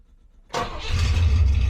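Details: 1972 Rover P6 3500 V8 automatic with holed rear silencer removed: starter catch, then deep, booming, far-too-loud V8 rumble; rear muffler missing.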